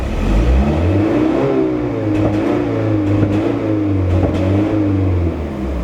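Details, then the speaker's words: VW Golf Mk3 after single-port injection and new distributor swap, power-starved and nearly stalling: revving with uneven pops and sharp cracks as revs change; backfiring, cause not found. "of backfires I don't know man back in the garage you go"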